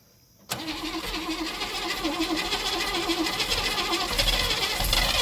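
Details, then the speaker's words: 1957 Chevy sat 35 years, first start after adding timing: uneven, wandering, hunting idle because the distributor was left loose, giving variable timing; fix is tightening the distributor. "I seen what my problem was. Because I left the distributor loose. I've got variable timing."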